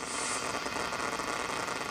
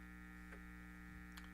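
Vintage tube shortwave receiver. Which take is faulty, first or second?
first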